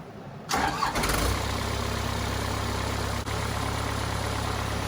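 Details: Cummins 4BT diesel in a Power Wagon, first run since 2015, temporary battery, 8 psi fuel pressure; short crank, catches cleanly, settles into even steady idle with regular low beat: normal healthy idle.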